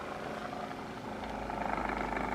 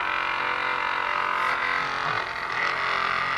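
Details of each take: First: Second, corded dual-head massager compared with the Hypervolt knockoff, less powerful, switchable speeds: soft, even motor buzz with a fast fluttering pulse, no rattles or knocks; running normally. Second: Battery-powered massage gun switched to a higher vibration level: a hard, buzzing motor drone with a loose, chattering vibration on top; the user wonders whether the attachment head is not hooked in properly. Cause not confirmed.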